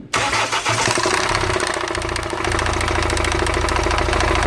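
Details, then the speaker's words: Hyundai H-1 2.5 CRDI diesel running with the timing cover off: a rapid metallic rattle of three to four knocks a second, steady over the idle, is the timing chain tensioner knocking. Jamming a screwdriver into the tensioner stops the knock. "Все видно, что тарабанит именно натяжитель."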